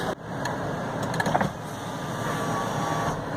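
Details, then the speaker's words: 2013 Dodge Grand Caravan SXT Flex Fuel, sliding door reassembly during lock actuator replacement: smooth steady motor whir moving the glass through its travel, a few light clicks at the ends; normal power window operation. "so um taking the window down and I'm watching it go down and I'm you know it's not that scary"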